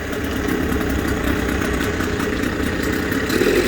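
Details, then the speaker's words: Suzuki DT6/DT8 two-stroke outboard with a makeshift Chinese walk-behind-tractor carburetor fitted (different fuel fitting, choke not working; original carb was the fault): fast, even idle putter, no misses, surging or knocking; runs clean. "такой колхоз, но мотор работает."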